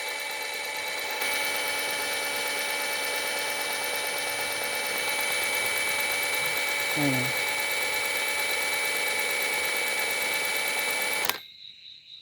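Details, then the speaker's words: Suzuki Multicab alternator, spun by a drill after replacing its cracked noisy bearing and greasing the outer bearing, reassembled with even, not over-tight clamping. Smooth, steady high whir with no grinding or rumble; the noise is gone. "so wala na siyang ingay no So okay yung ginawa natin nawala yung ingay niya"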